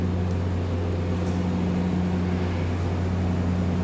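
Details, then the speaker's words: Changan Alsvin with a weak radiator fan, replaced by an adapted Nissan Sunny fan motor. A constant low hum and smooth, steady whirr with no rattle or wobble; the fan spins strong and the engine now runs cool. Normal radiator fan running. "Tumitain nyo ng blower ng Nissan Sunny. Ang ganda ng tunog, ang lakas. Mas malamig para sa Nissan Sunny."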